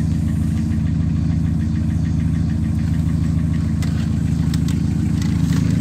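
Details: Carbureted VW AP (G1) engine with a Weber TLDF carburetor, idling evenly and steadily with a regular low pulse of about 160 per minute and no misses or knocks: a healthy idle during a tune-up and timing check.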